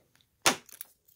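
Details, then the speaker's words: Audi A4 fuel door lock motor just replaced, unlocking with the key: single sharp click then a brief softer rattle as the flap releases; new actuator works properly. "Voilà, on entend bien le clic qui se déclenche. Et voilà. Donc ça fonctionne bien."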